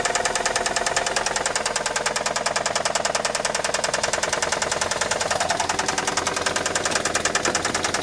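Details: 1999 Saturn SL2 1.9L twin cam, starts every time but smokes: rapid, hard, evenly spaced metallic knocking over the whole engine note, a worn connecting rod bearing.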